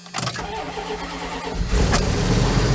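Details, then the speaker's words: Vehicle started again: starter whirs, engine catches and settles into a loud, coarse idle with heavy low rumble, louder than before and stalls when put in drive; cause unknown, needs more than a tune-up. Loud engine at start-up. "Woo! Yeah. Definitely needs a little more work than just a tune-up. Like I said, I don't know what it is, but it's definitely louder."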